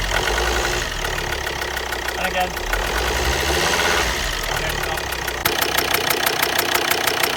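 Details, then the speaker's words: Volvo XC60 D5 diesel (possibly Euro 4), first start after injector replacement: sharp rapid ticking puff in time with the idle, from exhaust gas escaping past an injector seal; the injector needs tightening down further. "okay so as you can hear them okay so on this injector there was a little bit of uh exhaust gases coming through here so this needs talking down a little bit further"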